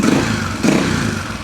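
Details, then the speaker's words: Husaberg 350 single-cylinder dirt bike after the carb-to-airbox boot was sealed and the air mixture screw adjusted: a short, sharp throttle blip picks up cleanly with no stumble, where it stumbled before; throttle response now normal. "That sounds pretty good. Sounds very responsive. Initially, it was like stumbling right when you gave it that throttle."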